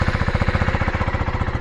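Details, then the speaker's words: Brand-new 2025 KTM 390 Adventure R, just delivered, first start before its first ride: crisp, evenly spaced thumps about ten a second at a settled idle, no gaps or rattles; ticks over beautifully, healthy. "Sounds nice, ticks over beautifully."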